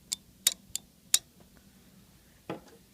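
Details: Replacement 12 V relay for a Yamaha RX-V795 receiver, bench-tested off the board with its coil fed from a 9 V battery and test leads on the contacts; four crisp, bright clicks in just over a second, then a dull thud; relay switching cleanly.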